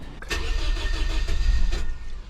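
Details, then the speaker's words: Scion with recurring misfire and low compression on test: starter churns a couple of seconds before catching, misses badly at first, then settles to a normal idle; slow hard start. "There we go. Now she's idling up like normal. That was weird. That took a minute."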